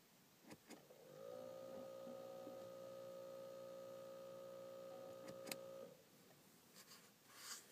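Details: Steady mid-pitched electrical buzz for about five seconds, then cuts off in a quiet cabin: instrument cluster buzzing.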